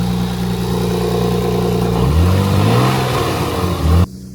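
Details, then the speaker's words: Nissan 300ZX Z32 after replacing a bad idler pulley bearing: smooth idle, then a clean rev climbs and drops with no grinding or chirp from the belt side; chewed-up bearing noise gone, normal revving. "It'll sound angry. Yeah. No more chewed up bearing noise."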